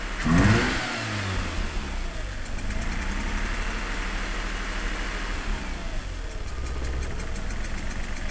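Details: RX8 2004 rotary, 110000 km, broken rotor side seal: very rough lumpy idle and power loss, with rhythmic pulsating air-suction hiss that gets louder when the throttle is blipped.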